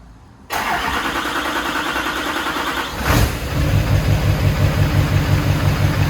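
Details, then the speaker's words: HMMWV Humvee with a Duramax LBZ diesel swap and newly installed FASS lift pump: fires up and settles into a smooth, even idle with a steady low rumble, no knocks or misses; healthy engine. "I mean the engine sounds amazing it sounds just as it should"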